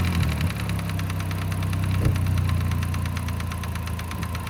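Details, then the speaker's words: 2009 Mk5 VW Jetta 2.5L, noise appeared about 3,000 miles ago: sharp ticking about four per second over a steady idle, heard through a homemade funnel megaphone; owner suspects the vacuum pump, not confirmed. "so over the uh the little muffler delete you can hear the loud ticking noise coming from the engine bay"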